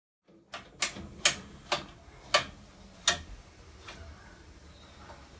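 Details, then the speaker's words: Boiler fired up and running, making sharp irregular metallic clicking, banging, clunking over a quiet hum; kettling because the boiler is getting too hot and heat is not being distributed properly, suspected. "Okay, that noise you can hear is the boiler kettling. It's just like a clicking, blanging, clunking noise."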